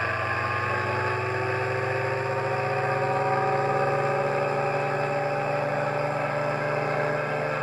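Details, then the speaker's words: Rebalanced rotor drum cylinders with new center bearing on a test rig, motor resting on a table on rubber feet, belt-driven: even, steady hum with no wobble or thumping beat, no vibration felt by hand; smooth, balanced rotor spin. "that is really good I can't feel any vibration it's just nice sweet sound yeah I'm happy with that"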